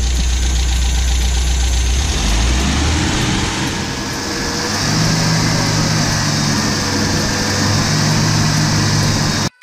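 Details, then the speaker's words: 1974 MG MGB with SU HIF4 carburettor after replacing wrong needle float and setting float height (previously fuel-starved): engine rises from idle to a firm steady rev without stumbling; normal revving. "so the real test comes when you rev it up and it's burning some fuel because it starved itself before if it keeps going i think we're good"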